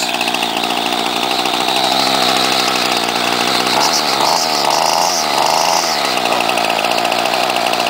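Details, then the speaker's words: 1995 Ryobi 700R trimmer, 31cc two-stroke on 32:1 mix, started on choke after priming: a steady buzzing idle that briefly climbs in revs and settles back cleanly with no stumbling. Healthy for a 16-year-old trimmer. "put it on choke pump a few times and then we'll start it up for you and there you go simple as that pretty good for a 16-year-old trimmer"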